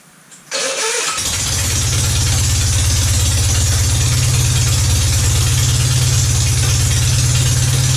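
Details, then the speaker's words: Citroën 2CV flat-twin after a wood sliver was cleared from the slow running jet and all jets were cleaned: it starts easily, then holds a steady, low, even throbbing idle at about three to four beats a second; it still won't change over to the main jet. "So you can see the slow running jet is now working. The engine is now starting quite easily, like it used to start, perfectly easily."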